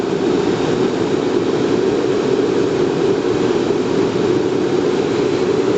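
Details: Riello RS38 medium-power forced-air gas burner during its start sequence after a restart: steady, even fan roar with a firm mid-pitched rush and no flutter or rattle, the normal pre-purge before ignition.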